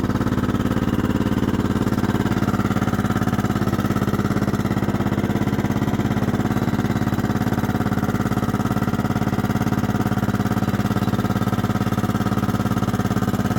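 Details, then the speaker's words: 1998 Kohler Command 16 hp lawn mower engine, a slight oil burner parked about a year, idling cold: an even light mechanical clatter about three a second, clanky as usual when cold or after sitting; expected to quiet once warm. "you can hear she's kind of clanky it does that when it's cold and or it's been sitting a while so we'll let it warm up get some oil moving through and it should quiet down"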